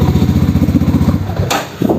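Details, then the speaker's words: Mahindra Mojo motorcycle after a month unused, just started first try following a new 6 unit: even, steady idle thumps about eight per second, then fade as it is switched off; sounds healthy. "First day തന്നെ വണ്ടി start ആയിട്ടുണ്ട്."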